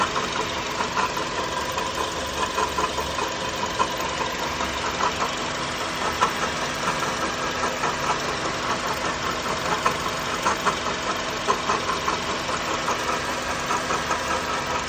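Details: 2004 Honda Element EX manual, about 162,000 miles, idling: faint, uneven ticking about once a second over a thin whir; idler pulley replaced without change, three-month-old alternator tests fine but sounds similar; cause unknown.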